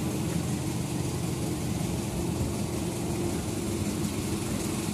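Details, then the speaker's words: Nissan MR18 engine after fixing a misfire, with suspect contaminated fuel: steady, even idle with no stumble, RPM holding constant; misfire gone, normal idle. "Steady na yung RPM mo, no? Ano lang natin doon. So, ayan. Wala naman ang pugak."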